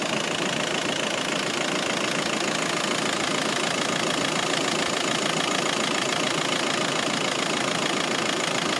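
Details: VW Passat B6 1.9 TDI 105 bhp diesel at idle: rapid, fairly even ticking knock of about 200 per minute over a harsh clatter, attributed to a failed head gasket.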